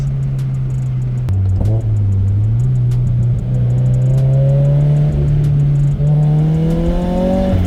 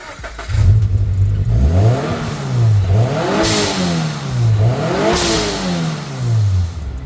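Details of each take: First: Turbocharged Subaru BRZ with blow-off valve replaced by a block-off plate, about 4-5 psi boost: engine drone rising and falling with throttle, fluttering chatter on lift-off from compressor surge. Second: Turbocharged Subaru BRZ with Speed by Design kit, stock blow-off valve fitted, before swapping to a block-off plate: revs rise and fall twice, each lift-off ending in a sharp airy whoosh of released boost, normal blow-off valve venting.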